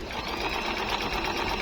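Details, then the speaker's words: Jaguar MP-006 multi-stitch sewing machine, good as new, widest stitch setting: fast, even needle chatter at steady speed, no knocks or catches; smooth, healthy machine. "Very smooth po siyang gamitin. Napakaganda Start. Hindi pa rin po nagbabago po yung tahi niya."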